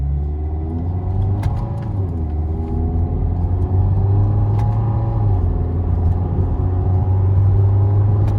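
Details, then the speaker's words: 2012 Mazda 3 2.0L Skyactiv fitted with an HPS short ram air intake: deep, even low rumble that swells as revs climb under load, smooth and steady; normal engine rumble under load. "But you can hear that change. You hear that rumble? You like that? Under load, it sounds so much better."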